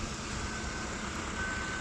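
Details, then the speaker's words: Shell station tyre inflator on a Perodua Myvi (14-inch rims), set to 220 kPa / 31 PSI: steady high beep over the hiss and hum signals the tyre reached target pressure. "Sampai je ada bunyi. Dengar ada bunyi tu. Pump sampai dia keting."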